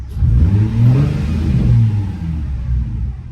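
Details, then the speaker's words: Nissan 350Z after injectors were swapped to cure misfire and rough idle: a deep, even exhaust rumble through a couple of revs, rising and settling smoothly with no misses or popping; it runs healthy. "sounds like it's running all right let's take it over let's take it out real quick give her a couple rips and see if it if it's gonna stay right"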